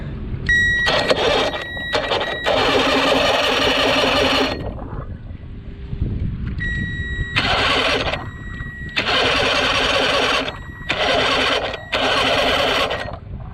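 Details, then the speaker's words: 1982 Glasstream boat with a Chrysler 100hp two-stroke outboard, ignition jumped straight to the battery after its red wire lost power, solenoid not working: repeated bursts of high-whir starter cranking, never catching. It cranks but won't fire. "No, still not going. The engine's not locked up though."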